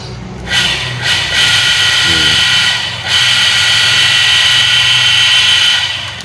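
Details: Shimizu water pump that had been submerged and only hummed, bearing replaced: motor spins up to a steady high whine, dips briefly, returns smooth and even; pump now runs freely, normal running.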